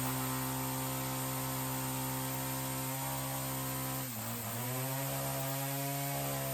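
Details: Ryobi CS30 two-stroke string trimmer with newly fitted aftermarket HiPA carburetor after tuning: strong, steady, throaty buzz, brief dip on throttle change, clean recovery; response okay, idle low and consistent, healthier than the old carb. Normal running.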